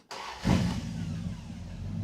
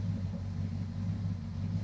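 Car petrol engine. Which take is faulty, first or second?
first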